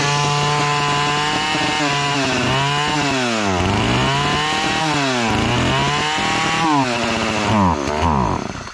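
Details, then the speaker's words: Partner chainsaw (listed as a 405, model uncertain), two-stroke, cover off: revs surge then sag as the trigger is squeezed and it bogs, though it revs on choke; owner suspects fuel starvation or a dirty carburetor. "pero con el con el gatillo Cuanto más le aprieto más se ahoga yo creo que se queda sin combustible"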